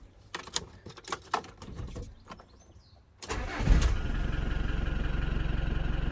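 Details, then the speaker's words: Hobby 750 motorhome with 11,000 miles, not run for 7 years, batteries good: after handling noise it cranks briefly, catches readily and settles into a steady, evenly pulsing diesel idle; normal start. "But if I had the key, I would actually, let me grab the key and we'll start this thing and you can hear it yourself."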